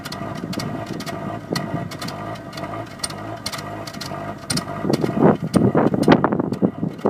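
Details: 2002 Mazda Protege5 2.0L after new plugs and wires: idle still stumbles with irregular, shaky pulses, and it jerks hard while driving. Code reader indicates mass airflow, but the cause is unconfirmed.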